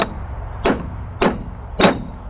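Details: Tent trailer hub (2000 lb axle) during wheel bearing replacement, race driven in with a socket: four sharp hammer blows about 0.6 s apart ring solid and short, with no dull give; the race has bottomed out and is fully seated.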